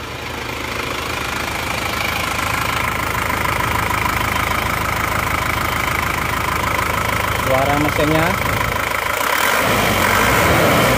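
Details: Isuzu Panther diesel at working temperature, after new original liners and piston rings fixed a compression leak that smoked at the oil filler cap and dipstick; even, steady clatter at about 200 beats a minute, no misses or heavy knock; normal idle.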